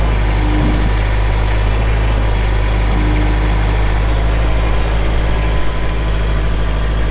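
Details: 2004 Kubota M6800 4WD tractor, pre-emissions diesel, 1,181 hours: a steady, deep idle with an even low rumble and no knocks or misses; the engine is running properly.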